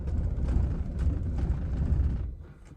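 Heavy, sluggish cranking rumble with about two labored pulses a second, then it dies away, which is a nearly flat battery.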